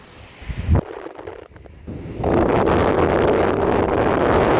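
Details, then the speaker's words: PS3 Slim fan run on an adjustable supply between 12 V and 5 V, with the owner separating airflow from bearing sound. A steady, even rush of air with no ticking or grinding: normal fan airflow noise. "Okay, because you can hear the bearing and you can hear the air, of course. The air sounds like this."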